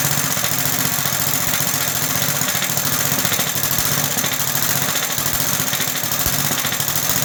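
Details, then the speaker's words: Roughly 66-year-old 1960s English Suffolk single-cylinder engine after a carb clean and new plug wire: a steady beat with a loose, uneven metallic chatter on top. The rattle comes from the starting mechanism, which has oil in it. "So my plan worked to clean the carb, and the plug wire works very good, and overall it sounds good. There is just a rattle somewhere. It is in the starting mechanism, and I know there is oil in."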